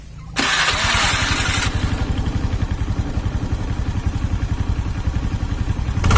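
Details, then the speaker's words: Carbureted Honda Beat scooter after replacing the snapped CVT drive belt (V-belt kit) and cleaning parts; engine runs smooth. Catches quickly with a blip, settles to an even idle and picks up cleanly; normal running and revving. "Oke Alhamdulillah sudah selesai dan mesin halus mesin halus kawannya"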